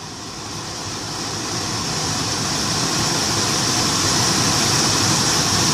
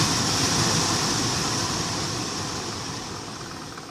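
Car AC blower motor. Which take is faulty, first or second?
second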